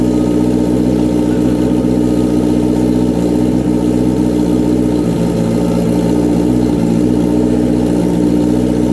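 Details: Honda CBR929RR SC44 turbo build on its first start, not yet dyno-tuned: steady, even tickover with a smooth low drone and no knocks, misses or hunting; normal idle.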